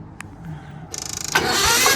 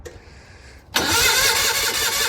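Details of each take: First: Gehl skid loader with Onan engine being revived: brisk, even cranking pulses build quickly into a strong rush; starter spins engine properly. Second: Gehl Hydracat skid loader with Onan engine, revival attempt after checking coil power: steady fast cranking, about three turns a second, for eight seconds with no catch; engine smells flooded with fuel.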